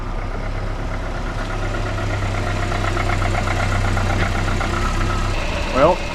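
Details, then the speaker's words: Volvo 480 at idle: steady low idle with a slightly clattery, diesel-like edge and no misfire; owner suspects HT leads, but this is how the engine normally sounds. "as you know, it sounds a little bit like a diesel."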